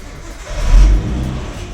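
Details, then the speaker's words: Nissan Skyline R34 just swapped to a 350Z CD009 6-speed manual, exhaust temporarily patched, intercooler piping that hit the fan zip-tied away: single smooth rev with deep even exhaust note, no rubbing or ticking; sounds normal. "that sounds better i guess anyways it was finally time to test our handiwork and run the skyline through the gears"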